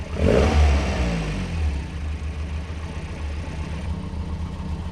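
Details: Classic car: quick crank, catches at once, then settles into a steady, even low idle with no knocks or misses; a healthy start.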